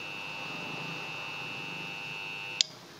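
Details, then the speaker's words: Refrigerator compressor tested with overload and PTC: steady hum but fails to start, then a sharp click as the overload trips; not the PTC, compressor will not run. "Oke ini jelas tidak hidup ini bukan PTC ini ya overload-nya ini mutus"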